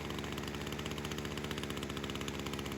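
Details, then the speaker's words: Small two-stroke engine during carb tuning buzzes steadily at a fast idle; idle screw can't shut fully, idle still high, so more fuel is added on the low-speed screw to bring it down. "I'm trying to see where it sits. Still pretty high, so what I'm going to do is add a little more fuel to the low here to knock her down a bit."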